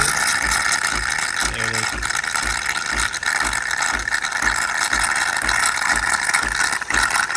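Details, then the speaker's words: DeLonghi Nespresso Lattissima Pro brought in for not frothing milk, tested with water instead of milk after cleaning: steady steam hiss over soft, even low thumps about two and a half per second; frother steam passing normally. "you can see that it is performing as it should so yeah this is clean and steam is making it through pulling the water through and not the spout"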